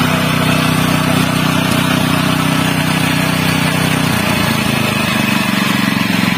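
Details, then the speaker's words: General CX160 5.5 HP small engine after replacing a black, fouled spark plug that made it die quickly: steady, even low drone with a smooth firing beat and no misses; it runs normally again. "this is the result, Alhamdulillah, it's not too much effort on the big gas, it's normal again, my friends"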